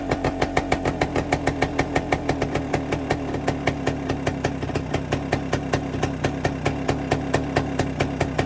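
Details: 1973 Suzuki TS250 Savage two-stroke single, revived after 25 years in a barn, running on auxiliary tank: crisp, even popping at a steady quick beat, no misses or rattles, oil appearing to pump properly; normal idle.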